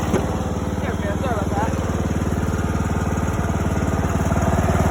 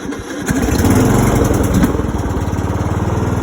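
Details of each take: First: $50 John Deere mower after its blown motor was replaced, revved twice with headlights on to check charging: steady, even single-cylinder beat rising smoothly and settling cleanly; lights brightened, so it's charging; healthy. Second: John Deere riding mower started with full choke: the starter drags the engine over sluggishly before it fires into an uneven putter. Slow cranking because the battery is nearly dead and undercharged.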